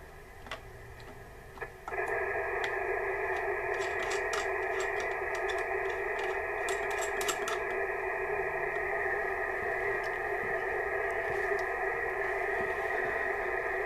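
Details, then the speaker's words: Receiver on 40 m with a 95 cm small magnetic loop tuned for 7.093 MHz: faint background jumps to loud steady hiss with buzzy tones, noise rising to S5 versus barely S1 on the 35 m big loop; cause unconfirmed. "That's the small magnetic loop. So that noise level's gone right up to S5."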